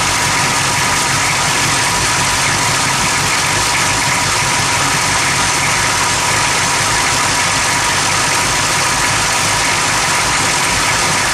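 Engine idling with an uneven, lumpy beat under a lot of hiss; it isn't settling into a smooth idle, so it's a rough idle.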